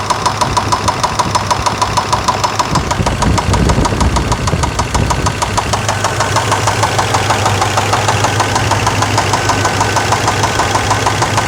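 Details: Suburban 5.7L started after sitting a few months, fluids checked, good gas in the tank: sharp steady tick about two per second over a smooth idle began seconds after startup; knock or tick of unknown cause.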